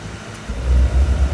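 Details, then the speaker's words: Green Lady hot-water pressure washer at startup, flow switch bypassed to trigger the heater: a healthy burner blower spins up to a steady, even low roar with no rattle or scrape, feeding air with no fire yet. "it'll always sound this way unless there's something wrong it's a good strong blower sound that's putting air into the burner but there's no fire yet"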